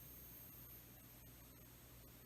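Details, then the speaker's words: Logitech Z623 speaker system, replacement unit, powered on with no input connected: faint steady high-pitched whine like a dog whistle over a low hum at volume zero, unchanged by volume; cause unknown. "so hopefully you can hear the sound it's really annoying it's almost like I don't know dog whistle it's kind of irritating"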